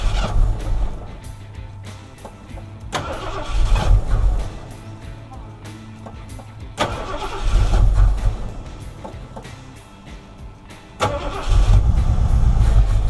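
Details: 1976 Ford F100 with 460 V8 after long storage, carburetor just rebuilt, old fuel partly drained: catches in uneven surges that flare and sag, never smoothing out, dead on one side for a while; owner suspects fouled plugs and old fuel.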